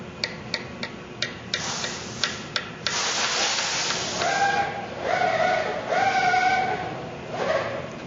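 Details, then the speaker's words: Parker Fly guitar fret repair, tapping along the frets: light even taps that ring bright and clear with short sustain, the ringy sound of a properly seated fret, unlike the dead sound of a loose fret end. "get a kind of a ringy sound."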